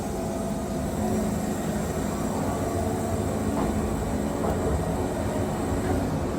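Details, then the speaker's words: Wood-Mizer Super 70 sawmill with a new drive belt run about 4-5 hours and a resharpened 747 turbo band, cutting 12 inches wide: steady heavy drone with blade hiss as the engine bogs down under load; the belt grips rather than slips. "You can hear that motor bogging down in there, and that's what you want. If you're not bogging your motor down, your belt's slipping, and you're not getting accurate cuts, you're probably losing blade tip speed, everything else."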